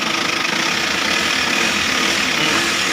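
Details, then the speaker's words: Isuzu Travis diesel idling after repairing steering noise heard when turning; bearing no longer stuck: even diesel clatter with no whine or groan. Quiet power steering pump, normal idle. "Goods naman mga boss. Wala na siyang ingay."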